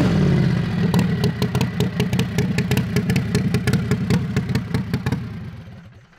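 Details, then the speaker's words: Modified Harbor Freight 670cc V-twin (~55 hp) mini drag rail, running after two years sitting; driveway pull with crisp, even V-twin exhaust beat rising and fading, pulling cleanly. "so we're going to do some pulls of the driveway while it's running this thing sounds good"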